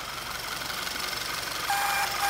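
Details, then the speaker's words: Audi TFSI direct-injection engine (VW/Audi line) at idle, injection warning light on: steady hissing rush with a thin whistle, false air through the torn PCV valve diaphragm; fuel trims off, engine noise improves when capped, valve replaced. "onde está o bagulho aqui ó pessoal fura o diafragma essa conta"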